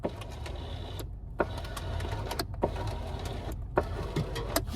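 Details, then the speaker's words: 2018 Skoda Fabia power window; motor hums with irregular crunchy clicks while pressing the button, glass not moving; window regulator cable shredded, only spinning the gear; switch and wiring control confirmed good; regulator to be replaced. "and that grinding or crunching noise is the cable after shredding, or whatever you want to call it. The edges of it basically getting broken, and or it getting broken permanently."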